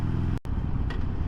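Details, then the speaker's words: 2022 Harley-Davidson Sportster Iron 883 with about 1600 miles on stock exhaust, riding; deep V-twin rumble then a single crisp audible click on each shift, including downshifts. Normal positive gear shift. "see I don't know if you could hear the audible click or clunk every time I shift"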